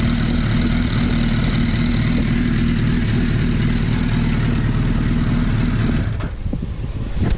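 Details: Suzuki Hayabusa idling after crank balance shaft adjustment, set roughly midway between the F and G marks: steady, even low thrum with no gear whine, then the engine cuts off near the end; normal idle.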